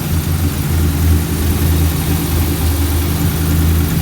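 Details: Ram V8 idling after installing a ported intake manifold, Fastman 84mm throttle body and ATI underdrive pulley: deep, even rumble settling into a smooth, steady idle with no misses or knocks. The engine sounds healthy.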